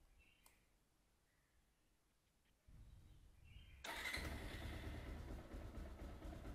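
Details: Bajaj Pulsar 220F BS4 cold start after two days unused: it catches after a short crank, then idles unevenly with the rpm wavering instead of settling; an idle rpm problem the owner has had since the first service.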